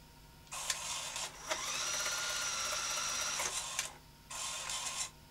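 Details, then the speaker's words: Late-1980s CVC-format video cassette machine built for aircraft use, first power-up with a tape inserted, rewinding: steady high whir of tape spooling with short mechanism clicks at start and stop; normal smooth rewind. "sounds good fast forward play"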